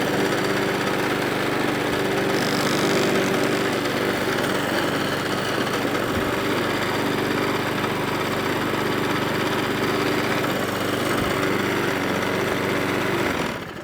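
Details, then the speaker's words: Hayter 41/48 lawnmower after dead man's handle replacement (reported as not starting); small single-cylinder engine now starts and holds a steady, even beat with no misses or knocks, running cleanly. "So it all runs."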